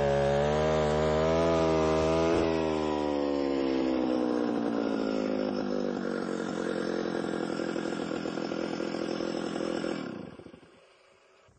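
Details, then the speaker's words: Alpine Magnum trencher cutting about 8–10 in deep in wet soil: engine drone sags steadily lower in pitch as the cutter digs in, then dies off; motor bogging under heavy wet-soil load. "so depending on the type of soil that you're in if if this happens to be a little bit on the wet side and so you can hear the motor bogging down a little bit"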